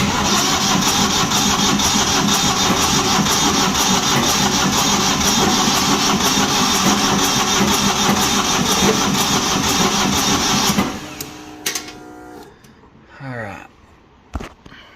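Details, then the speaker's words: Old diesel light tower generator, sitting for years: steady rhythmic cranking about ten seconds without catching; fuel not reaching injectors because the fuel shutoff solenoid had no power, later jumpered. "all right so after a few minutes of troubleshooting i found out my shutoff fee uh solenoid had no power to it"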